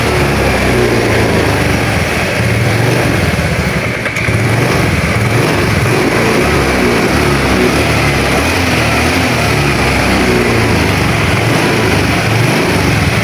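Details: Honda Vario 110 scooter with battery suspected of not holding charge (charging confirmed present), kick-started and warming up for 10–15 minutes; steady, even single-cylinder putter holding one speed, no knocks, misses or rattles; engine healthy.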